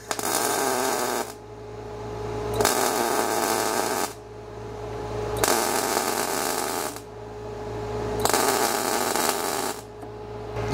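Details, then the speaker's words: Everlast Cyclone 212 MIG welder in stitch mode, about 1.5-second welds with 1-second pauses from one trigger pull ("poor man's pulse"): arc crackle in even, regular bursts. Normal MIG spot-stitch pulsing. "poor man's pulse there you bet dialed in i mean that worked that's cool"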